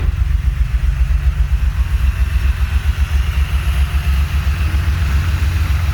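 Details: Honda J35 with BC cams and 12:1 compression, swapped back to normal rockers, still working out the idle. Deep, lumpy idle rising and dipping with uneven pulses: rough idle, cause not yet found.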